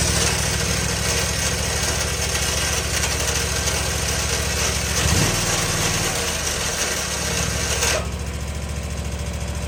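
Small engine running with a rough, rapid rattling beat of about three per second under the exhaust note; cause not identified.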